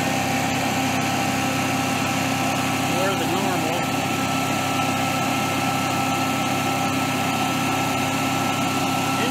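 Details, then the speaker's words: Generac-built Honeywell propane standby generator tripping on overspeed: steady, unusually high-pitched drone near 4,000 rpm with no hunting. The governor is not controlling speed, and the owner suspects a failing stepper motor. "4 000 rpm [Applause] it tried fighting me i might have a stepper motor going out on it"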